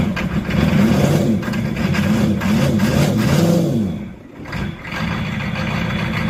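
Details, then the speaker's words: Old C20 crew cab truck with about 89 hp, started with ether, with a backfire that the owner thinks broke the ring ridge loose: it catches and settles into a steady, deep, even beat with a brief dip and recovery. Normal running after a hard start. "Victory listen to it just listen to it it runs exactly like a 65 sh which is terribly sweet"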